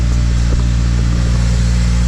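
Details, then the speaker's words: Toyota Celica just after first start following wire tuck, smoky exhaust, coolant low: deep steady engine rumble with even beat, no knocks or misses; normal running. "Smoky. It's not been started in minutes."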